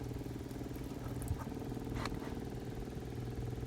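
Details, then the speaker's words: Onan Marquis Gold 5500 RV generator (model 5HGJAAB) that stalls after running; the old fuel pump has been heated with a heat gun. Faint, steady electric buzz with an uneven pulse about four a second. Output weakening; fault suspected, not confirmed. "you can see it is definitely not working as well as it was"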